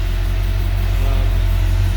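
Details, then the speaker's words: Old Navy truck build, first fire-up with initial timing set; deep, steady V8 idle with even beat, no misses or knocks, no exhaust leaks heard, slight power steering noise while fluid still working through; sounds pretty decent. "so yeah I think it's Sol SS pretty decent I don't hear any leaks in the exhaust and hear the power steering a little bit"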